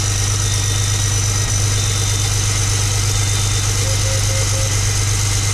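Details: Freshly rebuilt John Deere 6068 PowerTech diesel from a 6170R tractor, idling while oil pressure is checked on live data: steady, even idle with a deep low rumble and regular firing, no knocks or misses; healthy.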